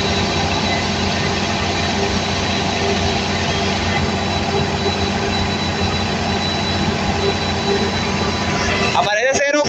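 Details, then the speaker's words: Cummins 169 kVA standby diesel generator with PCC1302 controller, warming up unloaded after a fault reset: steady, even diesel drone with no knocks or misses; running healthy. "no le meto carga porque esa prueba es solamente una prueba de calentamiento esto Solamente se lo hago yo para calentar la planta esto es una planta de respaldo"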